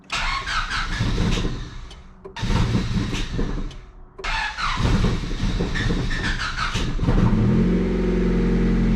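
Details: 1996 Honda Civic D16Y7 single-cam non-VTEC, 5-speed, after new radiator install and coolant refill: several bursts of starter cranking broken by pauses before it catches and settles into a steady idle; hard starting with long cranking.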